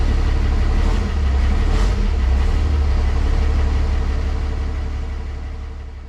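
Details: 1962 Chevy C20 pickup on Dodge Cummins frame with swapped 12v Cummins diesel, after first start: deep, steady diesel rumble at an even idle of roughly three beats a second, slowly fading out; healthy, normal idle.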